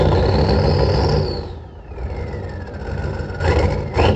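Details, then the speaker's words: 1986 Ford F250 6.9 turbo diesel, 4-speed 4x4, started on ether after water-laden oil was drained and refilled with a new filter; recorded at the tailpipe, no coolant. Heavy diesel clatter catches, sags briefly, then picks up revs; normal start. "holy cow she runs listen to it like i said though it ain't got cola so i can't run it for too long"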